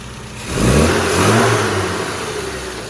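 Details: Modified road-racer Mini after carb tune (ABD needle modified, richer top end, earlier too rich/lean mid-range corrected, dashpot oil changed): engine blips cleanly from idle and settles back without hesitation or popping; crisp throttle response.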